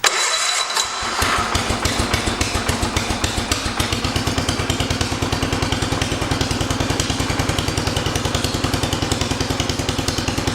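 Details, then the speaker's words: 1974 John Deere 112 after swapping 12 hp Kohler K301 for 16 hp Kohler K341: a few cranking turns, then fires immediately and settles into steady, even single-cylinder thump with no misses, a clean healthy start. "that is impressive wow that basically took right off I thought this is going to take a little bit of effort more than likely to get started up wow that Lit right off"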